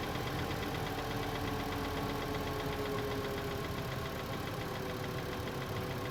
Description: Cold start of 2012 Passat 2.5 with 125k miles. First time I've heard this tapping noise in engine bay.